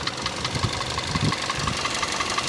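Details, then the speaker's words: 2016 Kia Soul, about 172,000 miles, known engine knock. At idle with the cylinder 2 or 3 injector disabled to isolate the cylinder, a sharp heavy knock comes about five times a second over a rough idle. Cause not yet confirmed. "But just look how bad it knocks when I disabled the cylinder 2 or cylinder 3 injector. It sounds pretty bad."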